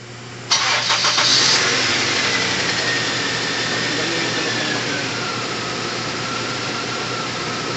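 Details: Toyota GLI 4A-FE petrol engine, previously hard starting with unstable idle, after resetting the timing sub-gear tension: brief crank, then it catches cleanly and settles to an even, steady idle.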